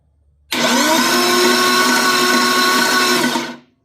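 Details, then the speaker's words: Ford Falcon XB engine, spark plugs out and no load, run off a battery on the floor: the starter whines up, spins at an even pitch for three seconds and winds down cleanly, engaging normally. "there's no load on the motor or spark plugs are out but you can hear it go around here"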